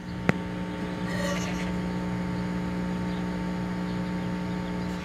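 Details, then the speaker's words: About 1968 Packard Bell console stereo transistor amplifier, germanium channel, after repair of two shorted transistors: constant low mains hum under faint steady hiss with no signal; the re-biased silicon channel has very little hiss. "you can hear there's some hum there and some hiss this is the silicon channel that's been rebuy that re biased you can hear there's some hum there but very little hiss"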